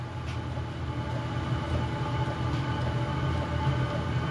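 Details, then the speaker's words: 8K diesel air heater on its first run in a temporary test setup: steady low roar swells gradually with faint pump ticks underneath as the fuel pump rate increases and heat comes up; normal ramp-up, owner wonders about a slow fire stage. "pumps really increasing well here comes the heat heat's coming up listen to that maybe it's got a slow fire stage"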